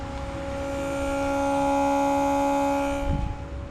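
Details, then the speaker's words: VW Jetta fitting new-old-stock Votex keyless entry with OEM remote: lock pressed, central locking pump hums about three seconds then cuts off but locks never move; fault somewhere in system or pumps, unconfirmed. "Moment of Truth lock is down we should go two to the right sorry two to the left actually nothing I hear it"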